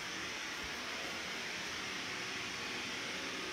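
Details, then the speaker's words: Kohler K9 (1659) steam generator after repair for error 5, tank refilled so the float switch works: steady, even hiss of boiling steam, no sputter, knock or leaks; normal steam output. "water seems like it's boiling i hear the steam i don't necessarily see anything leaking here i think this is good"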